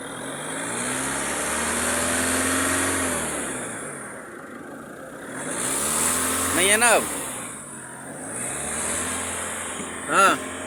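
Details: Mahindra Thar ROXX accelerating after the engine-side abnormal noise was fixed: engine pulls up smoothly through the revs, pitch rising evenly with throttle, no knock or rattle underneath; normal acceleration.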